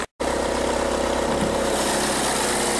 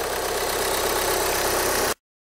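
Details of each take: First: 2013 VW Jetta TDI diesel idling: a busy, loose rattle over the diesel clatter, suspected by the customer as dual mass flywheel, actually a failing alternator one-way clutch pulley, which is replaced. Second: 2013 VW Jetta TDI after replacing the alternator one-way clutch pulley for a rattle complaint: steady, even diesel idle clatter with no popping or irregular knocks from underneath; normal idle.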